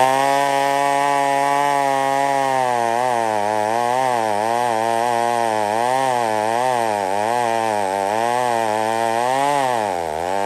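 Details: McCulloch 1-71 chainsaw with major carb upgrade, intake double-gasketed to fix an air leak; after repair a strong, even two-stroke howl dips and recovers smoothly as the chain bites wood, clean pull. Normal running under cutting load.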